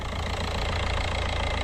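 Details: VW Jetta TDI diesel first start after EGR and intake cleaning and coolant refill: steady, even diesel clatter at idle with no misses or uneven knocks; normal diesel idle.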